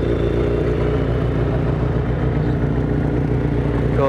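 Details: 1983 Kawasaki GPZ550 garage find, four-cylinder, after carb rebuild with new float needle and seat, Kerker exhaust, some choke: steady even idle burble with a crisp exhaust note and no misses or knocks.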